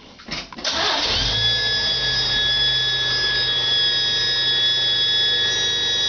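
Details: 1971 Chevy Nova, 260 inline-6 with Offenhauser intake, Holley 390 carb and Stovebolt cast split headers: after the engine catches, a steady high whistle sits over the idle without changing pitch, a vacuum leak the owner is trying to fix.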